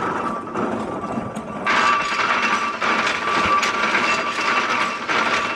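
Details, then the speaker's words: Spool Axminster carpet loom with 288 spools running: a loud, busy clatter of shuttles and gears at an even working pace with a steady ring on top, which is normal operation. "now i'm going to switch the loom on you can hear how noisy it is multiply that by 80 to 90 and you'll see what we had to put up with okay"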